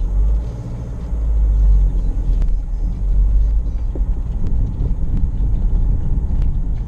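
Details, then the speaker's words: Land Rover Freelander 1 test-driven with the propshaft removed because of noisy propshaft bearings: steady low road rumble pulling away, no groan or whine rising with speed; normal driving, no bearing groan, driver notes more power. "At the moment I can't even tell that the prop is not connected. Got a lot more power as well, I will say."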